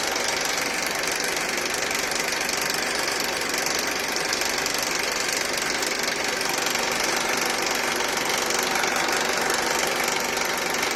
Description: Video that shows a rattling noise on Honda Accord K24 engine